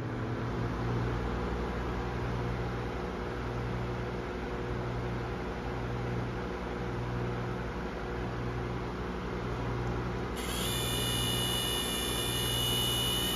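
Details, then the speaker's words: Amazon Basics F26-16A air circulator floor fan on speed two: steady hum with a soft even throb about four times a second, a little vibration, about as much as expected, could have been worse. "a little bit of vibration I guess about as much as I would expect but it could have been worse there"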